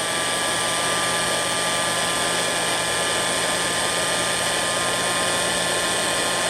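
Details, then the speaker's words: Restored antique Signal Type OB-4 oil can electric drill, rewired, oiled, greased, new brush cover, test run: constant smooth high-pitched motor whine, no grinding or rattle; healthy, likely first long run in 40+ years. "I bet it hasn't run that long, in 40 years at least."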